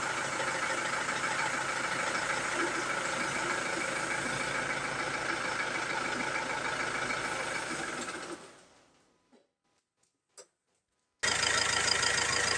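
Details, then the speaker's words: Ford Transit Mk7 2.2 TDCi diesel with no check engine light and new crank sensor, filter, EGR valve, fuel parts and air sensors; clatters evenly about eight seconds then stalls, restarting after a pause; cause unknown. "Now let's see how it idles. Yeah, it stalls right away."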